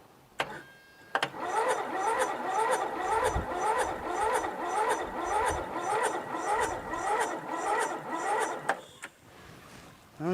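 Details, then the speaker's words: Briggs & Stratton 13.5hp flathead lawn tractor engine with a mouse nest inside; spark present. The starter drags it over in slow, even pulses and it never catches: cranking too slowly to start. A battery charger later helped it crank slightly faster; cause suspected. "it just doesn't seem like it's spinning fast enough does it"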